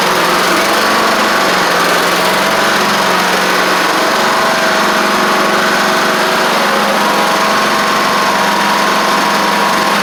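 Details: Troy-Bilt Horse XP riding mower with a new replacement engine, driving and cutting after a little trouble cranking. Steady, even drone at constant speed with the blades turning and no surging or knocking; runs healthy.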